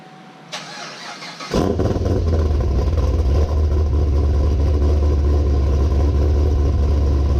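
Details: 2017 Camaro ZL1 V8 cold start outdoors on a windy day after earlier snow, after mods: starter whirs briefly, engine catches at once and settles into a steady, deep, even rumble while warming up; healthy start.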